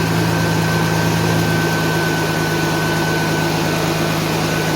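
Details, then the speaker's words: 1991 Mercedes 190E after hydraulic lifter replacement, fully cold fast idle around 1,200-1,300 rpm: loud steady idle with hissy breathy edge over the hum, listening for lifters; owner suspects a tiny pinhole or seal leak; loud cold idle. "it's very loud right now but like I said I wanted to listen to these lifters"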